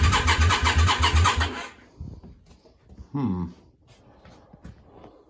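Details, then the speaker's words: Yamaha Virago 535 with a new starter, jump leads from a car: the starter churns steadily for under two seconds with no firing. Fuel is smelled; owner suspects weak spark. "she's not firing um well not no spark I thought fuel at first but now I can smell fuel something thinking spark"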